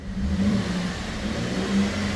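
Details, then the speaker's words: 2015 Holden VF Commodore Ute V6 direct-injection petrol: after ignition switched off, key removed, engine keeps steady low idle hum, cluster dark, no RPM; no fault codes; key barrel and front power distribution box ruled out, faulty relay/ECU suspected. "I'll show you what is the problem looks like when you turn it off the ignition switch look at that access now you can hear engine is running but you can't see the cluster works so it's off no RPM"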